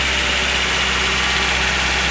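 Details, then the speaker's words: 1989 Toyota Hilux 22RE four-cylinder, first start after a full rebuild at 299,885 miles (worn cam), no radiator fitted yet, clutch held in: steady, even idle with a smooth hum, no knocks or misses, no leaks seen; normal idle. "Sounds good. Doesn't look like there's any leaks."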